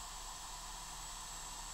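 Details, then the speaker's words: Eco6-10 balance charger charging 4S at 10 A (168 W), hot near thermal cutoff and easing into the balance cycle: steady airy whoosh with faint whistle from its cooling fan, modified to run off the 17 V input instead of about 15 V. "So, this fan that uh originally ran at I think 15 volt uh is running at 17."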